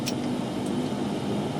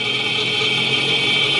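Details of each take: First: 2009 Nissan Altima right front hub, heard through a Steelman listening tool pickup: steady, coarse rumbling growl with no rhythm; a graphing multimeter shows the frequency signal on the right side only, pointing to a bad front wheel bearing. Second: 2009 Nissan Altima, front left hub heard through a Steelman electronic listening tool: steady even hiss with no growl, grinding or rumble; this bearing sounds healthy, the noisy bad bearing is on the front right.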